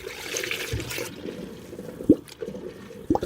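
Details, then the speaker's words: 1955 Chevy project, engine not running, coolant being filled into the closed system: quiet trickling with distinct gurgling burps about a second apart as trapped air is displaced; normal air burping during fill. "see those burps that's great that means we're displacing air and it's not just running straight out on the floor anywhere"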